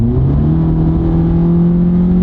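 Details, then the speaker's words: 2016 Honda Civic, 2.0 L with CVT, checked after pothole damage: stepping on it to pass from about 50, engine jumps to high revs and holds a steady drone as the car pulls; normal CVT behaviour. "it likes higher revs you can see see now if you notice it had to go pretty high to take off when you're going to pass and that's because this is indeed a CVT transmission"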